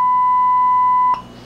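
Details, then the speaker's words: 1971 Kenwood KR-6170 receiver guitar input fed 1 mV 1 kHz from signal generator: clean steady tone loud for about a second, then soft hiss; high gain working fine, though excess hiss hints at noisy transistors. "and you can hear how much gain we have even with just one millivolt of input and this incredible gain is necessary of course because a guitar pickup puts out a very very tiny amount of voltage"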